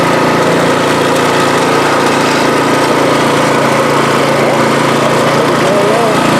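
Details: MTD snowblower after swapping in the engine from a second junk machine (original engine had no compression), primed and pull-started, cover not yet on: single-cylinder engine steady and even at fast idle, no knocks or misses; running good.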